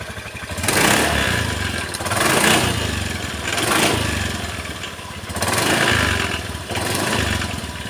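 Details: Honda Beat scooter CVT, unserviced for years: rough clattering rattle rising and falling with each throttle blip; worn roller housing and loose clip in the belt drive.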